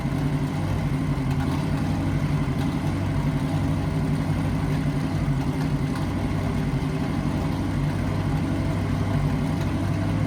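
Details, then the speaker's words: 1963 Chevy C10 small-block V8 under restoration, idling before mufflers were installed. A hard, raw, very loud low rumble holds throughout. Unmuffled exhaust. "So now once we put these on, we're going to hear this thing run. So it is and it should be a lot quieter."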